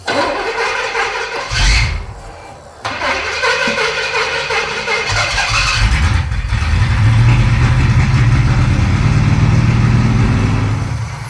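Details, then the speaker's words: 1971 Pontiac T-37, engine stagnant 38 years, factory tank bypassed, second new fuel pump fitted: steady even cranking for several seconds, never catches; crank no-start, no fuel reaching carburetor, crew suspects missing pump eccentric or wrong pump. "we've bypassed the factory gas tank and installed the new fuel pump we still don't have any fuel up at the carburetor"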